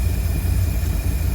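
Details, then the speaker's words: 1952 Cadillac Series 62 V8 after a carburetor rebuild, no adjustments yet; deep, steady idle with even low rumble, no stumble or miss, takes throttle without stalling now; timing may need a slight distributor tweak. "And now it's running great. It's idling, I can slam on the gas and it's doing it."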